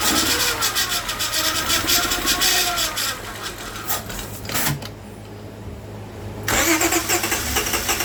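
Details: Towed-in Mazda RX-8 with a crank-no-start complaint, fed a mix of acetone, gasoline and fuel treatment: engine catches after cranking and holds a fairly steady, busy idle with some dips; it now starts and runs.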